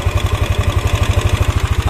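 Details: Yamaha NMAX scooter idling with a steady thump and a light dry tick suspected from the cylinder head; valve clearance found too loose and readjusted.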